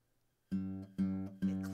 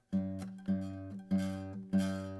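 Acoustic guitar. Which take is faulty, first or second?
second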